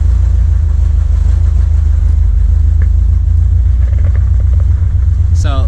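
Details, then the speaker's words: 1979 Corvette L82 V8 idling in neutral, hood down, after the choke opened: loud, low idle with an uneven, lumpy beat that never smooths out. Smoke test ruled out a vacuum leak; owner suspects the carburettor idle circuit. "RPM gauge is definitely wrong. This is the closest to an idle it's ever been, but it's still like stumbling."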